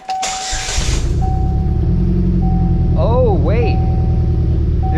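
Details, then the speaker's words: Pontiac Solstice at idle with ignition coil swapped, still running rough: uneven stumbling beat three to four pulses a second, likely misfire; owner suspects a wiring issue, cause unclear. "okay so the old one again it's going to sound like the same Idol I just had but this is bad so I'm going to put it over here to get rid of it"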